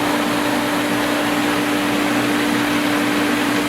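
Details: Pool pump at spring opening, restarted after a leaking fitting was tightened; steady fixed-tone motor hum over rushing water hiss, no rattle or surging; runs smoothly while building pressure.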